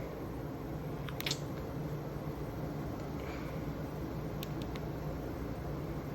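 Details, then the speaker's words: Indoor Daikin air handler in cooling mode, working again after a very dirty filter was dealt with: steady blower hum, low rumble and soft airflow hiss, no rattles or squeals, normal. "So this is what your Daikin is supposed to sound like. And this is an inside unit."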